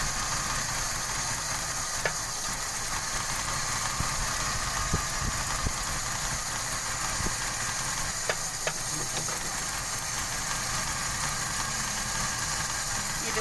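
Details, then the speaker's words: 1995 Toyota Kijang 5K, uneven idle with irregular stumbles and faint hissing, stalling repeatedly; consistent with a vacuum leak at the distributor. "Karena dia agak kurang ini ya, hidupnya kurang normal. Coba hidupin dong. Kita hidupin dulu ya mobilnya. Kijang 5K tahun 95. Lagi. Langsamnya nggak normal banget, bang."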